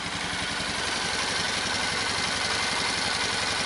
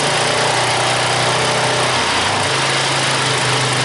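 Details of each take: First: Old Magnum, unrun for years, started after oil change on old stale gas, oil likely overfull. Steady, even single-cylinder idle with quick constant beat, no misses or knocks; clutch very quiet, revs up without bogging; running cleanly. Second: Polaris Magnum ATV engine, not run for years, fresh oil, old stale gas: runs steadily then stumbles and cuts out repeatedly at a certain high RPM, like a rev limiter; worn exhaust camshaft lobe, visibly worn compared to intakes.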